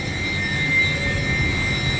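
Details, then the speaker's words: York YK water-cooled centrifugal chiller running after start command overrode the crashed building management system: steady high-pitched whine with clean tones over smooth even rumble, no knocks or rattles; normal operation, liquid level slightly high but fine. "So we've given it a start command. It's going to run. It's going to do what it's supposed to do."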